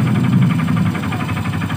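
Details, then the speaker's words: Honda Legenda motorcycle (same engine as Supra Fit/Revo old) idling with fast steady knock, about ten beats a second, louder when revved; mechanic attributes it to worn connecting rod (stang seher). "Jadi kalau digas itu makin kencang, jadi pengalaman saya kalau bunyinya klotok gitu ya. Kalau digas makin kencang biasanya dari stang seher."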